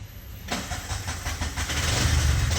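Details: Bajaj CNG BS6 single-plug engine after idle cable adjustment: catches and settles into a steady low single-cylinder thump with even pulses and no misses; idle holds correctly with no sensor fitted.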